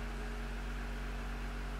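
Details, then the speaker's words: Jeep with a newly installed engine at its first push-button start; low, constant hum with a smooth, unchanging tone and no ticking or stumbling as it settles into a clean idle. Normal idle. "Press brake and push button to start. Did you hear that? It just started."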